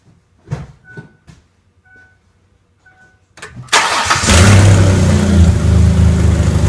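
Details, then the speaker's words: 2004 Mercury Monterey with misfire codes P0300–P0303 and P0316, after a new coil pack, with O2 sensors removed and an exhaust leak because the bank-one cat is still plugged: quick crank catches into a firm even idle, no misfire stumble. "you can hear out nicer it starts up you can see how smooth it [Music] is"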